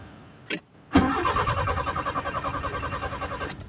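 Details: Nissan Sentra with GA13 engine: a click, then about two and a half seconds of uneven cranking as it struggles to catch; hard starting, with unstable idle rpm also reported.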